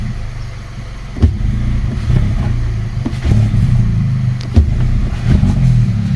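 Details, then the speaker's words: VW Polo 1.2 TSI R-Line blipped at standstill, no error codes: revs stick, rise and fall unevenly and bog instead of returning to idle, worse when warm; owner suspects vacuum leak or faulty throttle body, unconfirmed. "but it does is stick the revs do stick and jump around and it bogs down so I put it down to a vacuum leak but I could be wrong"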